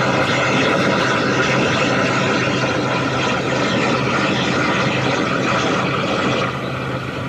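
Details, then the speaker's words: Hussmann grocery deli case on Emerson Protocol rack with electronic EPR valves, heard through amplified leak detector: loud steady rushing hiss; massive refrigerant leak, about 70 lb, in the aluminum evaporator coil, not the valve; coil needs replacing. "I mean, you can hear it, you can see it on the graph. I mean, it's obvious that it's really big,"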